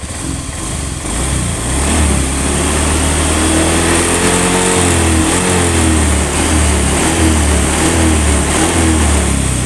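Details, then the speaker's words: Honda Beat ESP FI scooter after piston replacement and crankcase cleaning: revs rise and fall smoothly with no rough rattle, sounding standard. Before, a rough noise came from the head at 4000–5000 rpm from a stuck or worn oil ring and second compression ring, caused by overheating when the oil ran out. "Ini suaranya sudah halus, sudah seperti standar."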